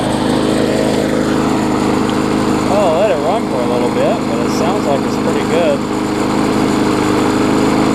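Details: Bolens front-wheel-drive self-propelled push mower with roughly 4.5 hp Briggs & Stratton, after regapping ignition coil that sat too far from flywheel (had no spark): steady, even single-cylinder drone, no misses or surging; sounds healthy.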